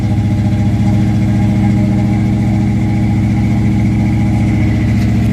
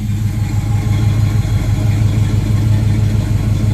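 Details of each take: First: 1976 Camaro with a rebuilt Holley 4-barrel carburetor and a newly connected electric choke, started cold at about 50–60°F: a fast, steady high idle that drops only slightly when the throttle is tapped and lasts about two minutes. Owner suspects it is set too high. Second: 1976 Camaro with a rebuilt Holley 4-barrel carburetor and electric choke, idling after warming up once the high choke idle drops: smooth, even low rumble with a steady firing beat, no knocks or surging; normal warm idle.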